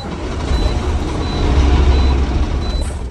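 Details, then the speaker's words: 2018 Cummins X15 diesel truck, fuel filters replaced, mufflers disconnected, fuel pressure present: heavy cranking with deep, uneven churning, tries to catch but never fires; jammed turbo vanes found as the cause, turbo to be removed and repaired or replaced. "so it does want to start but it doesn't let it so wow yeah problem with this truck it's the turbo"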